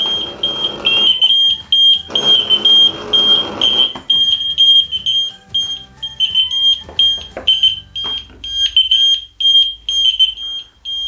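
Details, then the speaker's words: Interconnected ELRO Connects detectors on the K1 connector after a smoke detector test: several shrill high beeps overlap at about two per second, out of step, including the heat detector, showing all devices alarm together; test-mode volume differs from a real fire. "what you notice is this one shows up we noticed the heat detector going off"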